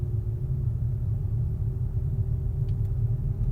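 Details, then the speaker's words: 2012 VW Golf GTI driving in third gear: a deep, steady droning rumble with a faint hum, a vibrating noise from the rear right; source unknown. "hear some like vibrating noise coming from the back the back right yeah can you hear that one"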